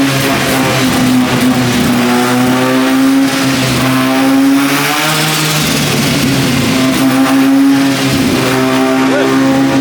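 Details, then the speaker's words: 13B turbo rotary in replica Lamborghini Diablo after fixing missing engine earth and loose injector power pin that stopped some injectors firing: revs smoothly on dyno, clean steady buzzing rising and falling with throttle, no misfire; running healthy. "we fixed that the car as you can hear is now running it's so exciting to hear the motor running"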